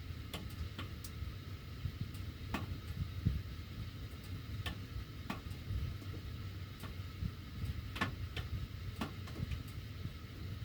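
Irregular sharp ticks and pops, a few per second, over a low steady air rumble; the ducts are ticking while the heat runs.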